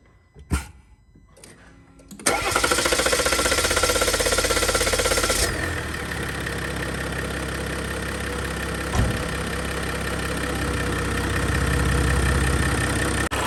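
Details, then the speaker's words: 2021 Jeep Gladiator 3.0 EcoDiesel on its first startup after a 5000-mile fuel filter change and repeated priming: it cranks and catches into a loud, uneven shuddering idle that eases off as the high-pressure pump purges air from the fuel system. "The high pressure pump, you hear that shuddering in there? The high pressure pump right there is processing fuel at the same time trying to remove air from the system."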